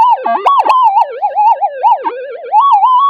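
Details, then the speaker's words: Metal detector in a GPX-5000 vs Gold Monster test, gain at 20 with everything cranked up: continuous wavering tone swooping up and down in pitch with no target present; detector overloaded from excessive gain. "okay so that's the detector flood out of a gain of 20 it's uh just totally over the top so basically this is everything on this is cranked up"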